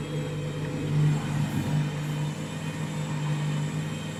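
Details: Washing machine on its final rinse and spin with heavy suds and suds lock expected, load sensor deciding spin speed; loud steady low hum with rumbling swell, very noisy spin, cause unknown.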